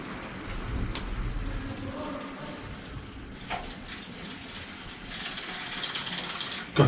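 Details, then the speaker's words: Bicycle with Shimano combined shift-brake lever, about ten years old: irregular dry plastic clicks at about three per second with no firm detent as the lever is worked; the shifter has failed, everything else works. "ich schreibe dir nicht mehr andere funktioniert das alles gut aber die schaltung hat versagt"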